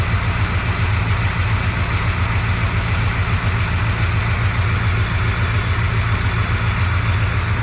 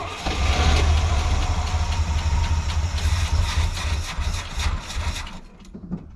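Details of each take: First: Chevy C20 Squarebody V8 run after sitting for years, fresh oil, warming up (about 140°); deep even idle rumble, apparently all eight firing, no knocks, much quieter than with old oil though still smoking. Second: Squarebody C20 V8 truck, first start after sitting for years: fires and runs rough, loping and sagging, then dies; owner suspects tank fuel is low so the pickup tube isn't getting fuel.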